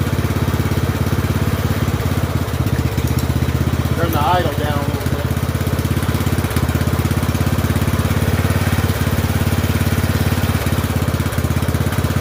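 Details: Poulan 12538 XT riding mower, 12.5 hp single-cylinder, 38-inch deck, after new carburetor fitted (old one leaked gas into crankcase): steady even putter at settled idle, no misses or knocks; oil burning off muffler; normal running.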